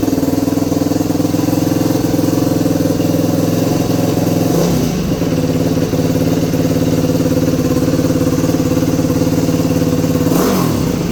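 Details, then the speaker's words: 2021 Yamaha YFZ450R SE right after installing a Pro Design intake kit, stock pipe still fitted: crisp single-cylinder idle with two quick throttle blips rising and falling cleanly; no misfire or rattle, sounds healthy. "Sounds good. Definitely happy with the way it came out, and like I said, definitely can't wait to ride this thing. She's even more of a beast than she was before."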